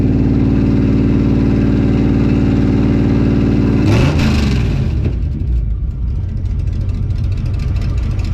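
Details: Healthy 52 Ford rat rod V8 left running a few minutes with fluids checked and oil good, loud steady lumpy idle, then a quick rev settling back rougher.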